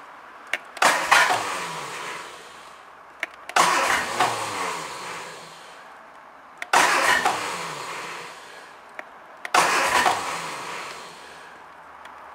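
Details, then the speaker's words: Triumph Dolomite 1300 engine just fitted to a Gentry MG TF Replica, first start attempt with HT lead reconnected and a little choke after oil pressure was built: four two-second bursts of starter churning, no catch; cranks but won't fire yet. "Let's put the HT lead on and see what happens. There we go. There's a little bit of choke. She's going to fire, I hope."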